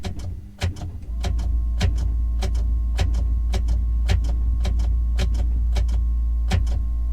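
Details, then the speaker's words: Ferrari F430 F1 gearbox, engine off: gears shifted rapidly before starting. The actuator clicks about three times a second over a steady pump hum, and the shifts lag. The F1 pump or accumulator is suspected to be going bad. "a little diff difficulty there so I think the F1 pump or the accumulator is probably starting to go bad in this car"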